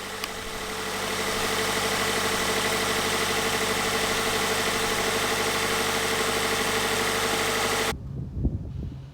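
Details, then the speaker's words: 2018 Subaru BRZ tS after installing a Radium PCV oil catch can: steady idle with an even pulse and faint constant tone, no hiss or whistle of a vacuum leak; normal. "And then we'll start it up and make sure that there are no vacuum leaks or anything that we can"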